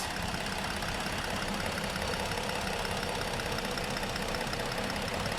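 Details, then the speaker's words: 2015 Ford Explorer 3.5 V6 at idle after an oil top-up (was about 1.5 quarts low): uneven, stumbling idle with occasional dropped pulses; running slightly better but power balance still shows cylinder 3 misfiring, which the relative compression test later flags. "sounds like it's running a little bit better let's see still got a misfire on number three still grabbing this fire on number three"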